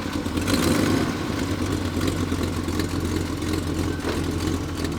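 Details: 1982 Chevy C30 camper truck, sat about four to five years, started after charging a dead battery; deep even V8 burble at steady idle with no knocks or misses; normal idle.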